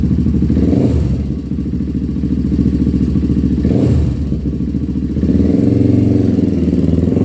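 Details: 1997 Honda TRX300EX single-cylinder after cam chain replacement, not run in a while and still cold: thump rising and falling with throttle, a touch lumpy, no knocking; engine running fine.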